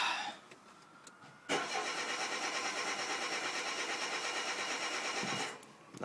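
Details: 2007 Renault Clio 1.6 paddle-shift, push-button start with brake held: about four seconds of steady starter cranking, roughly three turns a second, no firing at all; cranks but won't start, owner suspects something not connecting properly.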